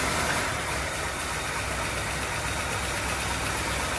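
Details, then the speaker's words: Low-mileage 1939 Cadillac with engine overhauled in 1981 and stored over 40 years, first run after reinstalling, good oil pressure: even, steady idle with a smooth, unbroken rumble and no knocks or misses. Runs cleanly. "well she's alive sounds good pretty excited about it"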